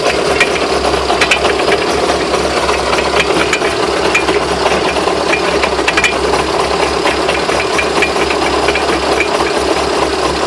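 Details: Knocking in the driveline, sharp irregular knocks and rattles over a steady running noise; owner asks what the knocks are and whether the drive shafts can be considered bent. Cause unclear.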